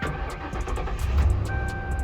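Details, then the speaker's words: Wrecked Ford Crown Victoria Police Interceptor, 4.6-liter V8, mileage unreadable: a quick crank, then it catches and settles into an even idle under some background music. Normal engine start. "All right, let's start this bad girl up."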